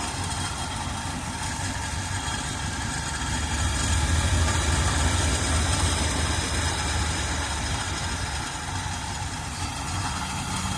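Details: 1978 Chevrolet Custom Deluxe truck, engine freed from being stuck after sitting for years, carburetor had water in bowl: low uneven idle about three and a half pulses a second, loudness wandering; not idling great, cause unconfirmed. Rough idle.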